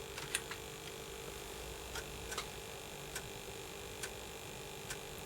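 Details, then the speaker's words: Early Atari ST (not STFM) after motherboard recap and TOS ROM upgrade, booting a game from an external floppy drive: a quiet steady buzz with a thin high whine and scattered soft ticks on the audio output, resembling RF noise. Cause unclear. "I need to sort out that buzzing. It is irritating the heck out of me that buzzing. I don't really know why it's doing that. It's weird, isn't it? It's like almost like the sort of noise you get with RF."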